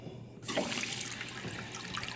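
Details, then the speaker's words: Toilet tank refilling after a replacement universal flapper was fitted to cure constant running: steady hiss and trickle as the fill valve refills the tank and the fill tube tops up the bowl; normal refill. "This tube fills there's water coming in here and this is going into the bowl so that after you flush it, it adds water back into the bowl."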